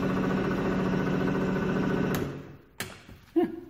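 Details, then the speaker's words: Glass-bottom Sea-Spi 24-volt drive motor run on a 12-volt battery after freeing its seized shaft with vise grips: steady motor drone, not smooth or quiet, then winds down with a couple of clunks; runs, but its direction is reversed. "kinda works I guess I wouldn't say it's smooth or quiet like you would expect but it's well that's Louis points it sounds like a jet ski started"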